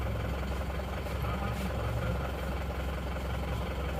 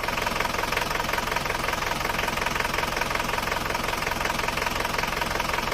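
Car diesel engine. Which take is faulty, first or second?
second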